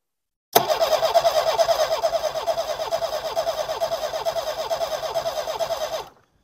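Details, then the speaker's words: Homelite Stingray boat motor after ultrasonic carburetor cleaning and fuel-system work; fuel seen rising in the line but pressure seems low; steady cranking about two turns a second with no firing; lack of spark also suspected: crank no start. "give her a crank come on girl yeah it might not be well I don't think it's going to start today"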